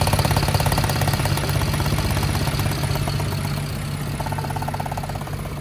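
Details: 2011 BMW 528i F10, N53 3.0 L I6, 272 hp, check engine light on: uneven lumpy idle with loose knocking pulse around three per second and diesel-like clatter; misfire at rough idle.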